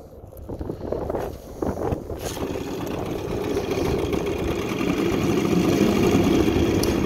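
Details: 1984 Evinrude 6hp two-stroke outboard, repaired with machined crankshaft extension and 3/8" hex-socket drive replacing washed-out splines, on 50:1 synthetic oil and 90-octane ethanol-free fuel, lake test: catches after handling noise, settles into even steady buzzing run, no misses; healthy.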